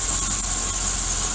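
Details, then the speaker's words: 1984 Dodge Ram D350 with 360 V8 and 4-speed, just started after sitting about 20 years in a barn, no smoke. Deep, steady idle with an even beat and no miss or knock; smooth and healthy, "sounds like a freaking beast." "This sounds like a freaking beast. But smooth as could be."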